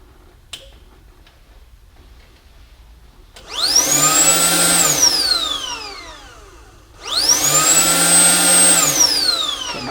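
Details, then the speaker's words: 2007 Toyota Tundra SR5 with code P0419, secondary air injection pump jumpered directly with 12 volts, connector unplugged: motor whine spins up quickly, holds a steady high pitch, then winds down smoothly; pump operates correctly. "can perfectly hear that pump operates correctly"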